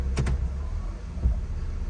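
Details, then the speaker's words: 2004 Honda CR-V in gear with the brakes held while tapping the gas: low idle broken by deep single clunks when shifted into drive, with bad vibration in drive and reverse; worn engine mount and transmission mount. "but when I put it into drive and when I press gas you're going to hear the clunk noise there you go you hear how bad that is"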